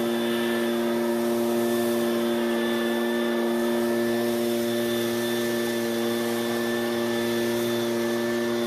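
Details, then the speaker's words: Ryobi two-stroke backpack blower after H screw turned counterclockwise to richen the carburetor: high, steady whine at one even pitch at full throttle, slightly lower speed but much smoother than before; runs normally. "Now it did lower the engine speed just a little bit, but it's running much smoother, which it wasn't doing before."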